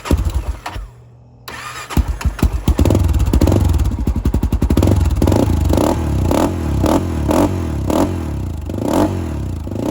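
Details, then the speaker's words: 2007 Honda 400EX, reassembled, choke off: starts, then each throttle blip thumps and stumbles before picking up; no longer dies but still bogs, running too rich with an oversized main jet. "but yeah when I give it gas again it's not dying like it was before but it still kind of has that fog"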